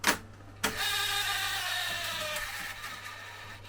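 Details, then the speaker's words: Akai X201D vintage recorder at switch-on: clunk, then whirring whine sliding down in tone as transport spins up, sounding strained; the tape counter is said to be the noisy part, otherwise cause unconfirmed. "Not the nicest tape path to work with, but once you know it, oh well. It's the counter that's noisy."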